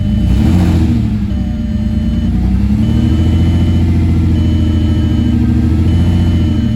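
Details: Freshly rebuilt VR6 engine just installed, first start after a slightly chugging idle: revs up and settles smoothly with a deep even note, no knock or misfire, dash chime repeating; sounds healthy.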